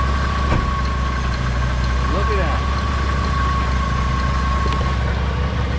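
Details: Old Ford F150 with distributor ignition, after a no-start and a dead battery, running again: a steady, even idle with a low smooth rumble and no misses or knocks. Fuel pressure reads 45, within the 40–50 spec; the cause of the no-start is unknown.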